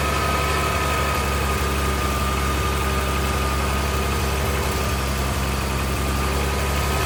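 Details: 1979 Ford High Boy truck, just started after carburetor rebuild, primed with gas, new fuel pump: low idle losing rhythm with uneven loping beat and odd stumbles; rough idle from incorrect carburetor mixture needing adjustment.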